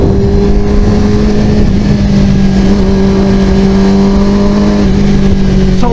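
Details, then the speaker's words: Motorcycle riding at about 22 mph in first gear at 4500 rpm, then in second gear; its fuel pump was rebuilt, tank cleaned and filter replaced months earlier. The steady drone dips and jumps back as the engine briefly stutters under throttle, then picks up again. "here it it's a stuttering and then it picks up second gear stutters"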